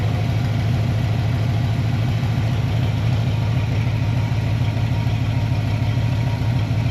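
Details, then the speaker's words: Foxbody Ford Mustang V8 after about 10 minutes of idling, coolant at 196°F, now taking fuel better; deep, even burble with steady rhythm and no knocks or misses, a healthy warm idle. "Been idling now for I don't know 10 minutes. Everything sounds pretty good. Looks pretty good."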